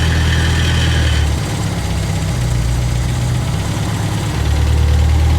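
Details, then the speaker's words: 1975 MGB that sat 14-16 years, fuel given a little sip at a time, otherwise dies: low idle sags and surges, never holding an even beat; fuel-starved unsteady idle, staying running on its own. "and then she'll die and we could probably give her a little bit of fuel a little sip and just kind of keep doing that i guess [Music] just a [Music] little sip at a time but you can see she runs and she's staying running on her own right now"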